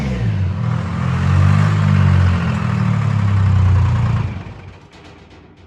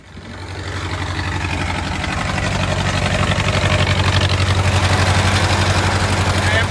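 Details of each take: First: Old Detroit Diesel two-stroke in a woodchipper pulled from the weeds, started on a jump pack before removal: fires almost immediately and settles into a deep, even rumble with no misses; a healthy start. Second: Old Detroit Diesel woodchipper engine (possibly a 4-71), pulled from the weeds and started: steady deep diesel idle with a sharp regular chuff about four times a second, an exhaust leak; might overheat soon.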